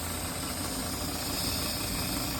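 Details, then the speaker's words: EccoTemp tankless propane water heater with 12V pump on Eco-Worthy solar, fed from a 20 lb tank, for a Macgregor 26X: power on and water pressure up, flame lights, steady even roar over low pump hum, no sputtering; normal burner and pump operation. "And then when you flip the power switch on and turn on the water pressure, you can hear the flame come on the front panel."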